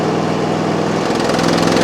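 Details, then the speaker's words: Old Ford tractor after adding a little fresh gas to stale fuel: uneven, lumpy idle that wavers and shifts pitch, improving but still tries to die at wide open throttle; owner suspects dead gas. Rough idle. "I added a little bit of extra gas to it. Fresh gas. And I can tell it ain't quite running just right, but it's getting better."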